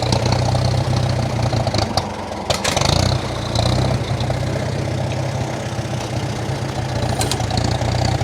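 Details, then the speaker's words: 1947 Farmall M, first start after sitting since October with old regular pump gas in the tank: the idle lumps, stumbles, surges and dips while the choke is being adjusted. Owner blames lots of old, watery fuel. "yeah this thing is running really rough there's got to be a ton of old gas and fuel in there"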